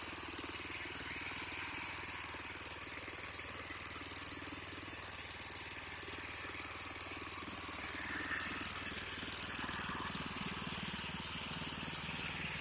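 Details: 36" Bunton walk-behind mower after carburetor cleaning and throttle fix, previously unstarted four months: fast, even buzzing run with steady exhaust pulses, no misses or surging; normal running.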